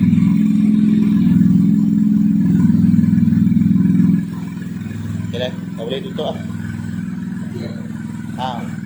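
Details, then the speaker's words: Kancil converted to Japanese AVY turbo engine, now hot: revved hard then settling back, note rising and falling cleanly, no misfire or knock. No smoke when revved hard; earlier smoke was from oil spilled from the half-cut engine onto the exhaust. "Ah ha ni enjin enjin tak ada asap. Kita dah RAM RAM kawkau ni tak ada asaplah."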